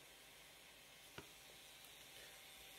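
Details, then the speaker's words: Raspberry Pi 4 cooling fan wired to 5V instead of 3.3V, running flat out with a loud, high, airy hiss, much noisier than at 3.3V. "se escucha bastante más potente vale hacer muchísimo más ruido"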